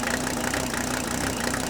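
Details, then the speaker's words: Mercedes W126 300SD turbo diesel, replacement engine of unknown mileage, first start after 10 years sitting, no air cleaner, one or two cylinders not firing well: idle clatter with uneven, lumpy pulses; rough idle. "we might be able to get this engine to smooth out a little bit with a little bit of running here"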